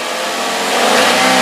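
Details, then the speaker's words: 2011 Daihatsu Gran Max 1.3 pickup, free revving: pitch climbs cleanly with no rattles, knocks or squeals; no strange noises, engine healthy with good power, only a slight valve cover gasket seep. "digeber pun aman gak ada suara yang aneh-aneh gitu jadi kondisinya memang benar-benar ini masih jadi kondisi mesinnya itu masih enak tenaganya masih ada"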